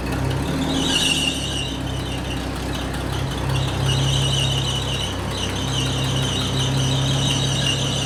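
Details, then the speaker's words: 1980 Chevy C10 square body pickup, long-abandoned, running after the fuel line was put back together: continuous high squeal rides over the steady idle, barely changing, loose drive belt slipping on its pulleys. Loose drive belt squeal. "so man that belt squeal is annoying ain't it it runs and it moves"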